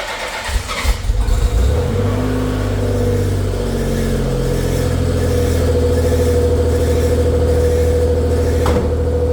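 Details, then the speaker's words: Nissan Z31 300ZX after rear diff stud repair, not run in a couple weeks: brief uneven cranking catches within two seconds and settles into a steady, even idle; starts cleanly. "it hasn't been um hasn't been run in a couple weeks so we'll just fire it up now and see uh see if it'll even fire"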